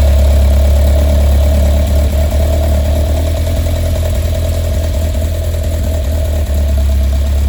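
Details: Westfield with Zetec Blacktop engine at low idle with uneven stumbling beat, three or four pulses a second, repeatedly catching; misfire, cause unknown.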